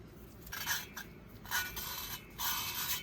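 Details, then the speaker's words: VW Beetle cylinder head, valve number 3 lapped with a drill and the compound cleaned off, turned to check the sound: even, continuous scraping with no skips or catches. The seat is smooth all the way around and fully lapped. "Hear how it's smooth all the way around. I hope that's making sense to you."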